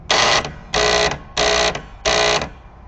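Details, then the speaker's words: 1967 Williams pinball score reels number one and two buzzing loudly when coils manually triggered despite new coils; caused by coil plunger stops, fixed by moving, shimming and replacing stop brackets. "having a problem with the 1967 Williams pinball game scoring real reels number one in to make lots of noise they have new coils"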